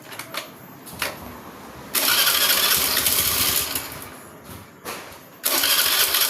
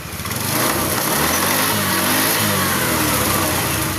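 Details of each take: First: Honda Beat FI scooter pushed into the shop: on starting it coughs, catches briefly, fades and dies, then catches again, starting and dying repeatedly; hard starting caused by low fuel pump pressure. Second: Honda Beat FI scooter after replacing the spark plug and a new part, previously sputtering and stalling on start: engine now starts, runs steadily and climbs cleanly in pitch on throttle, sounding healthy.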